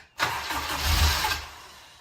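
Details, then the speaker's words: Honda K20-swapped Miata, first start after install: short cranking burst that nearly fires, stumbles a second and fades; owner unsure fuel is fully primed yet, likely fuel starvation. "I do a key couple times. I'm not sure that it's got the fuel fully primed yet."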